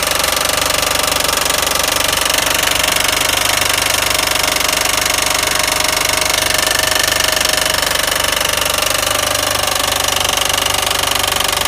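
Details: 2007 Mitsubishi Eclipse GS 2.4L petrol engine running: a loud, steady metallic rattle-knock of about three or four hits a second; the alternator tested fine and the timing belt is a little loose, but the cause is still unknown.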